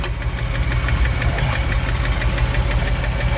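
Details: 1959 Chevy El Camino V8 (305 heads), after repairs, hot, exhaust holed, oil in the coolant and burning coolant: uneven low knocking about three per second over a rough idle. Knock cause unconfirmed; owner blames the 305 heads.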